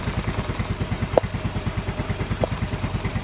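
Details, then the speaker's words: Yamaha Mio M3 125 scooter with MIL code 46 on the speedometer (charging/battery supply fault, battery went flat; regulator/kiprok checked); engine itself has no problem: quick, even idle pulse with steady rhythm, no knocks or misses. "untuk mesin ga ada masalah ini motor smap akhirnya itu tekor saja tuh"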